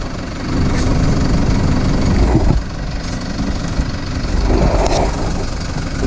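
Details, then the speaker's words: Toyota Prado 150 diesel after replacing the squeaking part (17451-74051) and re-tightening its bolts. Steady low idle rumble with no squeak or chirp; the A/C is being switched on to test a rev rise. Normal idle, squeak fixed. "uh so far so good um i haven't heard anything put the air conditioner on see if it increases the revs and does anything"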